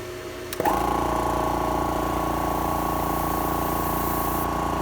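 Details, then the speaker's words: Air Venturi oil-filled high-pressure air (HPA) compressor with cooling fan, switched on: steady, even, fairly quiet hum with a quick pumping beat about three to four strokes a second and no knocks; running normally. "pretty quiet if you listen to it it's pretty quiet it's much quieter than the uh the normal air compressor that you would usually have at home"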